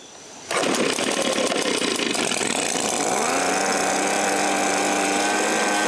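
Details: Echo PB-265L backpack leaf blower after carburettor rebuild and fuel line repair, first test: fires and climbs to a buzzy, slightly uneven high-speed run but only keeps running on choke.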